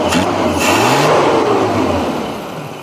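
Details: Suzuki Katana carburetor during idle mixture tuning, idle circuit slightly rich; engine blips up and settles back cleanly with an even rev and no stumbling, mixture sounds fine.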